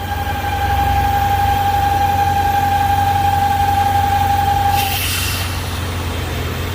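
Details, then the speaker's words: 1998 BMW V8 that whistles once at operating temperature: steady high whistle over the idle, then a rush of air when the oil filler cap is removed; excess crankcase pressure from a faulty PCV valve. "una prueba que podemos hacer es quitar el tapón de llenado de aceite y ver si la presión si tenemos presión o no"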